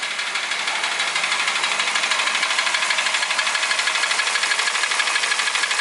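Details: Toyota Ractis 1.3 2SZ-FE, 6 years, 100,000 km, oil changed every 7–8k km, uses 500–800 g between changes; timing chain, tensioner and guides replaced without effect: sharp, crisp metallic knock about three per second at steady idle; persistent internal knock.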